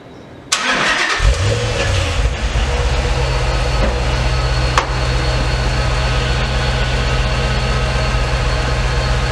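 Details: Dodge SRT8 Challenger V8 after 100k maintenance, heard from the rear at the exhaust. It catches sharply and settles into an even, deep idle with no knocks or misses, a normal start and idle.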